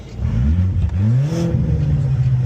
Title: Audi a4 exhaust leak burble 😮‍💨 #audia4 #b5 #1.8t